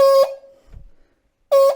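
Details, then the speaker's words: 1980 MGB horn powered directly with an auto test probe: short, thin, buzzy honks with a ragged edge from one horn, while the other gives nothing at all. With direct power applied, the horns themselves are judged faulty. "so there's obviously a problem with that one let's try to one on the other side there's nothing there nothing happening with that one at all which is kind of peculiar"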